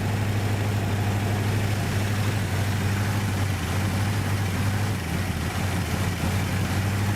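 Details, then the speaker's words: 1967 Buick GS 340 V8 at first start after sitting 15-20 years, new radiator and carburetor: lumpy, uneven rough idle, possibly misfire; owner suspects worn-out plugs and wires, ignition needs redoing. "I'm sure that all the wires are garbage too so I mean the ignition system needs redone and I've got something for that too so yeah see she's not happy but she's going"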